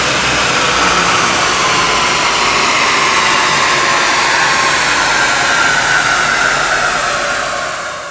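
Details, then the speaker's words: Tuned 2007 Mercedes R63 AMG, 6.2L M156 V8, 111,000 miles, on the dyno in fifth gear at wide-open throttle to about 160 mph: loud steady roar, even, no beats, knocks or vibrations, tapering smoothly; healthy high-speed run. "this thing felt rock-solid at 160 miles an hour"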